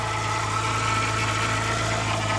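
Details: BMW E90 first start, battery charged, coolant flush, new upper radiator hose and oil filter: steady idle with a thin constant whine above the engine, something not sounding right; power steering pump whine from low fluid.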